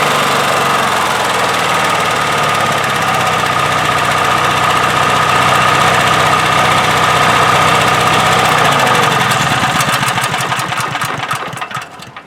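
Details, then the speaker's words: 1997 Honda EB5000 generator with cheap non-OEM carburetor, adjusted by restricting flow: even, steady hum at low idle in auto mode with no surging, which it previously had; running normally, better than with the old carb. "uh you know i again it used to surge a little bit now it doesn't surge at all just restricting the flow so right now that's normal"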